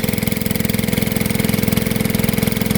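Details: Gold dredge pump's small engine after nine months sitting, cleaned up and with fresh gas. A steady, even low-pitched putter with regular firing pulses and no misses or knocks. It runs smoothly and healthy.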